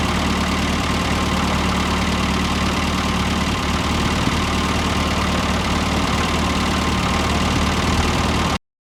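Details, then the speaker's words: 1973 MG Midget small four-cylinder, just revived after over 21 years off the road, about 50,863 miles: steady, even idle with a smooth low thrum and no knocks or misses, idling like new. "Some kinks to work out, but it runs and it idles like it's brand new."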